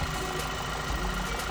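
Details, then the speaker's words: 2011 Volkswagen EOS 2.0 TSI after OEM PCV/crankcase breather valve and timing cover gasket replacement fixing a vacuum leak: steady smooth idle with no stumble, miss or hiss; misfire fixed, running normally. "It's fixed. Bingo."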